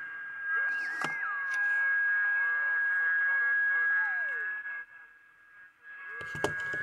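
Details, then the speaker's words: Battery transistor radio tuned to about 1050 kHz beside another radio picks up a steady high heterodyne whistle with faint warbles, showing that radio's local oscillator is working. "we use this radio and tune it to around 1050 we hear the telltale heterodyne whistle"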